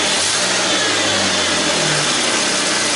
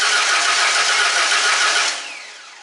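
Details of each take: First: 2001 Ford Mustang V6 automatic after engine swap, running after hose replaced: smooth, even idle with brief blip, good oil pressure, no knocking or smoking, though temperature gauge never moved; normal idle. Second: 2001 Ford Mustang V6 automatic after engine swap, new starter fitted: quick, even cranking with no catch or firing; plug wires far off, firing order being rechecked; crank no start from wrong firing order.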